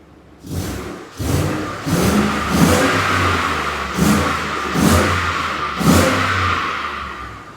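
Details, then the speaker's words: 2014 Ford F-150 5.0L Coyote V8 after repairing bank 1 misfires (P0300, P0301, P0304; plugs already replaced): quick throttle snaps rise and fall cleanly, settles to even idle with no stumble; misfire fixed. "It's fixed. Is it misfiring at all? We're smooth? Snap it a few times."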